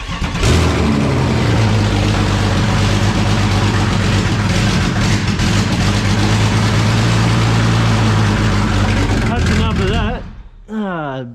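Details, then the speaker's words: BMW 335is engine with EWS deleted, no tune yet and a different IAT sensor: loud running with an uneven lumpy pulse near four beats a second; runs rough, needs tuning, cause not confirmed. "but now it starts doesn't run the best but it does start"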